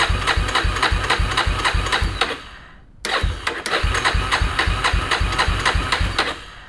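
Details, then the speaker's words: 2000 Yamaha Warrior 350 ATV, choke on, which ran earlier; starter cranks steadily in two bursts without firing, crank no start, owners suspect no spark, battery sitting sideways. "what is going on battery batteries sideways so it's only gonna touch one terminal i don't think we have spark anymore man"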